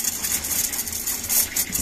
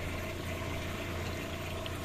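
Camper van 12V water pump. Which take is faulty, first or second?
first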